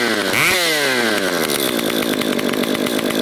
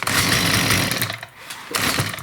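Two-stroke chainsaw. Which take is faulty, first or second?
second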